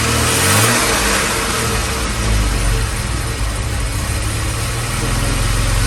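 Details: 1978 Jaguar XJ6 Series 2 barn find, off the road 24 years: the warmed-up engine takes a light throttle blip, then settles to a steady even idle with no rattle from the front.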